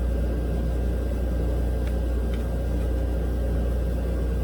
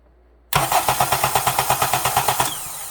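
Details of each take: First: 2007 Honda Accord 2.4 L DOHC four-cylinder, cranked with the injectors unplugged, drawing about 175–200 A on a battery that passes load testing: steady, sluggish churning with no firing; slow rough cranking from a failing starter, which was replaced. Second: 2007 Honda Accord 2.4 DOHC four-cylinder in for slow cranking, after starter replacement and tested before the intake manifold was refitted: brisk, even cranking at about six beats a second. It cranks nice and fast.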